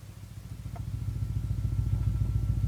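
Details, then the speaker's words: 1965 Ampeg Jet J-12T tremolo combo amp, 6BK11 and 7591 valves, input turned up: steady low thumping about seven beats a second, tremolo working directly on the input and amplified, owner assumes a design flaw from new; tremolo thump. "low frequency thumping because it's working directly on the input here fluctuating frequency up and down to cut the gain up and down to give you the tremolo but that low frequency is being amplified to this valve"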